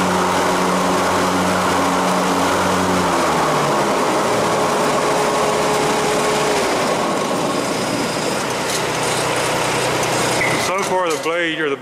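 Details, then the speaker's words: Hustler Z (owner thinks diesel) with 72-inch XR7 deck, after new idler pulleys and blades, spindle bearings still due: steady engine drone, deck whirring evenly under blade load, no belt slap or squeal; belt stays on, jumping only slightly. "belt stayed on there so the belt stayed on it you've seen it was jumping just a wee little bit but this belt's been thrown off here several times so that might be the belt jump and you don't want it to jump a lot"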